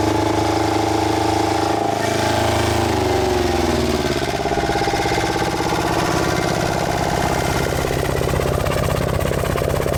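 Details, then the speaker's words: Small Volvo marine diesel in a sailboat, after clearing a cooling-water passage clogged with sea debris: it settles from a rising crank into a steady, even idle clatter with no misses, now cooling better. "this engine is definitely feeling a lot better now than what it was when it first came in here now it's cooling better so"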